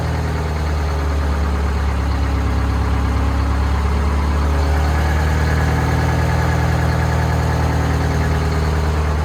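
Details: Old two-stroke Detroit diesel in boom equipment at a Fort Worth auction lot, briefly run: deep, steady drone at idle, even beat with no knocks or misses; healthy.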